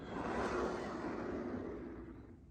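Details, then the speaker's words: Large-scale garden railway wagon on bush bearings, just oiled after long unserviced use, pushed along the track: light rolling rush fading smoothly as it coasts to a stop, no catching or binding; free-running. "this is on bushes all right so if you look at look at that that very free running"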